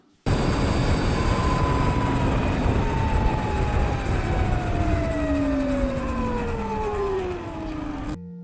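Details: Surron electric dirt bike: clear high whine falling steadily in pitch as the motor slows; primary belt between motor and jackshaft too tight, fixed by loosening belt tension incrementally a notch.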